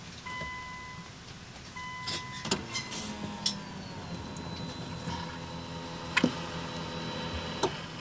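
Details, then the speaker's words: Nissan Skyline R34 that sat five years, key on just after a new fuel pump was fitted for a no-fuel no-start: a faint rising whine for a couple of seconds before cranking; the fuel pump primes normally. "Smash that like and subscribe button to see if this starts. See if we can hear the fuel pump. Yep."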